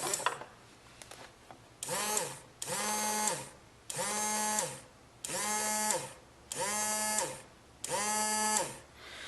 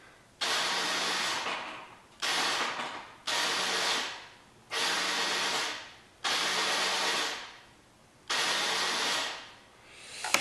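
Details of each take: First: 2004 Yamaha Zuma 50 no-start, starter motor tested with the cover off: six short bursts that whir up to a steady hum and wind down cleanly, spinning freely. The starter motor works normally; the fault lies in the starter clutch, with metal filings found inside. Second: 2004 Yamaha Zuma 50 scooter with a no-start, pressing the starter: six high airy whirs of about a second each, no cranking or firing, starter spinning freely without engaging. Starter clutch not engaging, later thought to be due to an improperly assembled conical washer.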